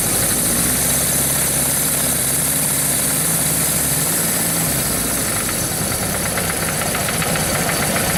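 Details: Suzuki GS1100GK motorcycle at rough idle with a steady metallic knock about four times a second riding over the engine; the source of the knock is not identified.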